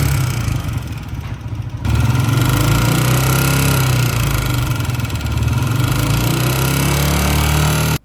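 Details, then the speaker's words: Old-model Honda CG 125 motorcycle at steady single-cylinder idle with a loud, busy top-end clatter over the exhaust beat; not cam gear, connecting rod or rocker pin, but a worn rocker plate needing tappet adjustment, no rebuild needed. "इस engine की आवाज आपने सुनी इस engine के अंदर बहुत ही ज्यादा शोर है ऐसे लग रहा है कि यह इंजन दोबारा से रिबिल्ड होगा पर ऐसा करने की जरूरत नहीं है"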